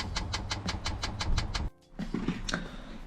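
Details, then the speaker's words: Chinese diesel heater in Sprinter van, first priming, heard from underneath: steady quick ticking of dosing pump, then stops; pump running dry, E10 error, fuel not reaching heater, later found blocked fuel line (owner first suspected parking angle). "Right, so if you can hear that, that's the pump going, and it's basically trying to get fuel."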